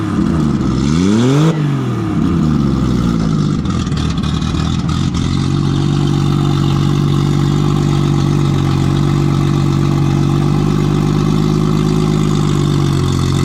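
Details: Nissan RB20, repaired after no compression in cylinder 5 from a faulty lifter dropping the intake valve. A couple of sharp blips, then a steady, even idle on all six cylinders with no misfire. Normal idle and revving.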